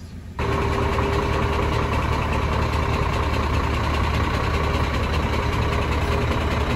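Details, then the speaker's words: Scania 13-litre diesel truck: heavy idle with loose, irregular tapping over a low rumble; the rocker shaft was broken in three places and the unbolted rockers moved freely, while the camshaft was undamaged. "стук у нас исходил именно от того что у нас поломано и не прикручена вот эти коромысла и они в свободно свободно гуляли в этом двигателе"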